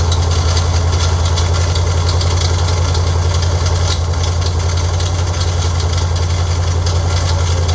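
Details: Freshly built Ford 302 V8 on an engine run stand (forged pistons, hydraulic roller cam, aluminum heads, roller rockers, Edelbrock 600 carb): steady deep idle with a regular ticking knock, about two to three per second; internal noise, source unknown.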